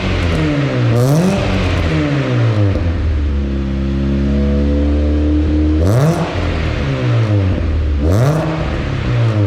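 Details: Chevrolet Cobalt SS started after an oil change: the engine catches and settles to a steady idle, then takes several clean, quick revs that rise and fall smoothly. It is running healthy.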